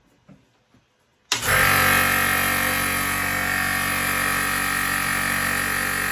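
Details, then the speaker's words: 50-litre air compressor before rebuild: loud steady hiss over the running motor as the pressure relief safety valve vents because the pressure switch does not cut out at proper pressure. "that noise was the pressure relief valve which is kind your safety valve 12 going off so the switch is not switching off when it reaches the proper pressure"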